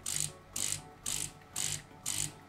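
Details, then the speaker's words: De'Longhi coffee machine after brew unit (infuser) replacement, test run with no leaks: even pulses about twice a second, each a crisp hiss with light mechanical rattle, no grinding or straining; brew cycle sounds healthy. "patrzę jeszcze czy ta woda nigdzie nie leci tu nawet nie kapnęło więc jest okej wylewka jeszcze do czyszczenia oczywiście no ale działa"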